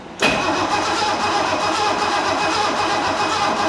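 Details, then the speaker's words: 1969 Mercedes donor car being tested for its engine: the old starter spins the engine briskly and evenly for about four seconds with steady compression pulses and no dragging. Cranking is strong and much better than before, with spark plug wires not yet attached. "That is a thousand times better."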